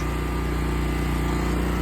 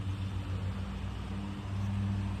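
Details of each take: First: Westinghouse 20,000 W portable generator powering a whole house: steady even drone at constant speed with no surging, knocks or hunting under heavy load; running healthy. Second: Westinghouse 20,000-watt portable generator, new out of box, battery connected, oil added: starter churns the engine over with a low drone but it never catches; no fuel delivery.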